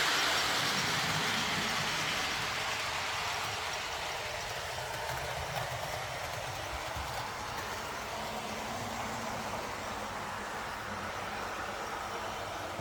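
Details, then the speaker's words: TT120 model railway train running on a track section with no cork underneath: a soft, steady rolling hiss with gentle rail-joint clicks and no boomy baseboard drumming. Much quieter than the noisy cork-and-foam section. "nice and quiet there lovely"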